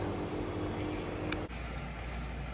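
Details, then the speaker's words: Bosch heat pump with Bosch 2.0 variable-speed air handler switching to heat; quiet steady hum with faint tone, then soft click and shift; normal startup defrost delay before heat ramps up. "switch over to heat then it's going to run in the heat cycle and slowly ramp up as it sees the demand and for your heat so that's a question we get a lot of time is why am I not getting heat immediately with the thermostat is because of this uh defrost delay"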